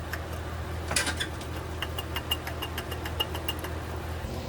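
Steady, even low idle hum with no knocking, squealing or misfire; a smooth-running engine.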